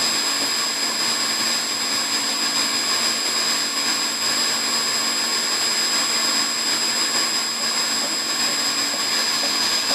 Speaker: So it's between 90 to how smooth the pump is running. Perfect. That's the way it should run. Just like that.